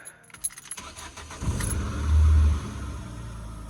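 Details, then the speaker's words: Scrap-built Ford Focus after ignition fix, bonnet up: keys jingle, brief crank, engine catches and flares before settling into steady idle; starts cleanly. "Yes. Ignition's fixed, started. Brilliant, let's get the lights on."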